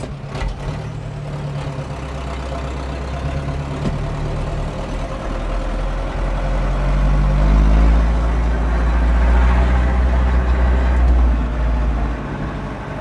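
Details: 1997 Zetor 4340 59 hp 4x4 diesel cab tractor with loader, 1447 hours, unserviced as traded in, 540 PTO: even low diesel drone swelling and settling as revs rise and ease, no knocks, PTO engaged; normal running.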